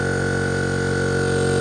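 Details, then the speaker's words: Air compressor fitted with SSR soft start, charging the tank during load test: constant steady hum with fixed tone and even drone; running normally. "We'll do a load test, which means I'll blow air out, and you'll see how it works."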